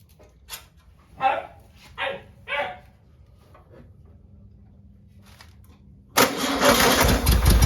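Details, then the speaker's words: 1959 VW original 36hp air-cooled engine, start after rebuild, second day after recharging jump box: a few barks then catches and settles into strong, even clatter with no misses; normal running. "well there you go everyone i'd say that's a successful uh will it run video i didn't run it too long but you know at least we know it's a good solid engine it sounds uh wonderful"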